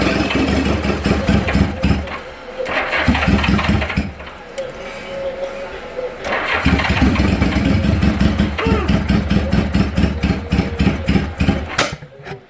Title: GL 1000 won't start.